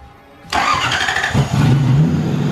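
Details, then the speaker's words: Lexus LS400 V8 drift-project car, first start in a long time after switching the fuel pump on: silence, then the engine fires at once into a rough, throaty, angry-sounding idle; normal start. "Yeah! Man, this sounds angry."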